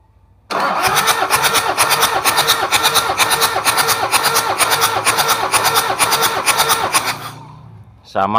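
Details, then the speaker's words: Toyota Kijang 2L diesel cranking for a compression test after an overhaul for low compression: even chuffs about two a second, regular and strong; cylinder 3 reads about 29.05 bar, good, with rings not yet bedded in, expected 30+. "untuk nomor tiga ada diangkat 2905 bar udah menunjukkan untuk kompresinya bagus ini masih belum mapan yanur kalau udah mapan bisa 30/30 lebih"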